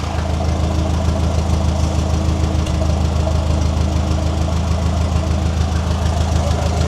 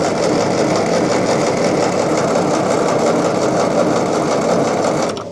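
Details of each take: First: Ferguson TE20 tractor, once abandoned, idling after restoration with changed oil, new ignition, fuel tank and radiator; fuel now flows freely after bleeding. Steady, even low putter about 200 beats a minute, no misses; normal idle, "she sounds good." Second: Restored Ferguson TE20 petrol tractor with new ignition, fuel tank and radiator, spark confirmed; fast even cranking held five seconds without firing, because the new carburettor main jet was fitted but not adjusted; later set all in then a turn out.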